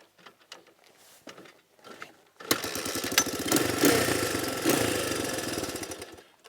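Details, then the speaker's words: Shop machine, owner says it runs great now: after some handling clatter, the engine picks up a quick, even firing beat and holds steady; sounds healthy and strong. "runs great now"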